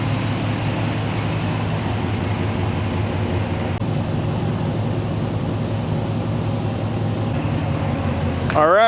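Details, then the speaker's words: Dodge Charger Hellcat V8 after repair: steady smooth idle with no stumble or misfire. The short runner valve code has cleared and the idle is improved. The check engine light remains due to the missing AC pressure sensor. "Other than that, she's running a lot better. You can see that it's idling a lot better, too."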